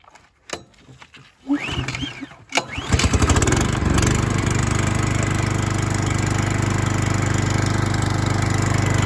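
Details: Stihl GH 370 S four-stroke garden shredder, no primer pump, first start: a few recoil pulls, then it catches and settles into a steady, even low drone at about 2,400 rpm unloaded, no knocks or misses; healthy running engine.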